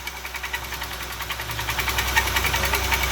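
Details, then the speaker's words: Used engine, possibly a 3.6, at idle: steady light tick about three and a half per second over a smooth idle, higher than bottom end; mechanic suspects an accessory pulley, to be checked by removing the belt. "Take the belt off, it'll go away. Yes, it will. That's an accessory noise."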